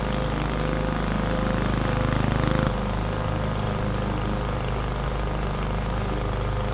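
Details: 21-inch Husky push mower (11A-B2M7031), Powermore OHV engine, fresh oil, started first pull: steady, even drone holding speed while mulching grass, no misses or knocks; fairly quiet, healthy under load.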